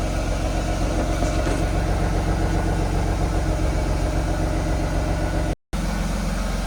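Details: BMW E36 with M52B25 inline-six, serviced with spark plugs for an engine misfire: a steady, even idle with a smooth low hum and no stumble or skipped beats. The engine sounds healthy.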